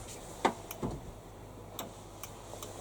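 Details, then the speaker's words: Hyundai HYM530SPE lawnmower, 12 V starter wire removed: sharp click as the OPC safety handle is pulled, then a softer solenoid click on pressing start; normal OPC switch and solenoid click, solenoid receiving power. "first click is the OPC switch that we talked about earlier now when I push the button the solenoid is indeed clicking ok so that's good news"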